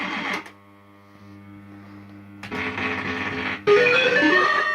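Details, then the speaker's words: System80 gaming machine, warmed up after running a while: tunes play with harsh crackle and buzzy distortion on some notes while others stay clean; owner suspects one voice of the socketed 3-voice sound chip has failed. "Some of the sounds are okay. Look at this, sounds really crackly, doesn't"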